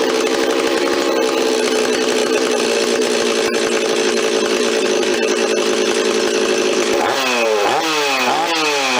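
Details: Rebuilt Stihl 026 two-stroke chainsaw, parts saw restored with aftermarket parts, first run on fresh high-octane fuel, no bar or chain fitted: steady high buzz, then revs rise and fall repeatedly during mixture tuning, answering throttle cleanly; normal running.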